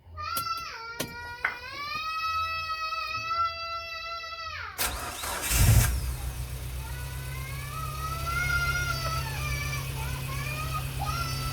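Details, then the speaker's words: 2018 Suzuki Carry Futura after fuel pump replacement, cold start not warmed since previous afternoon: loud steady high fan-belt squeal as engine fires, fading into rough idle. "Eh sorry ya temen-temen fangirlnya Bunyi maklum dari pagi dari kemarin sore belum dipanasi sama sekali"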